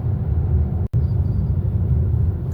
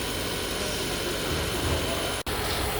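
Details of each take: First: Car limited in power, couldn't accelerate past 100 km/h, engine warning light on: deep, lumpy, unevenly pulsing engine rumble, sluggish under load; fault codes later showed low engine oil pressure and oil pressure sensor range/performance. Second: Hybrid after crankshaft position sensor replacement, engine force-run via GDS test to charge 32% high-voltage battery: steady even hum with faint high whine, no knocks, no fault codes or warning lights; runs well.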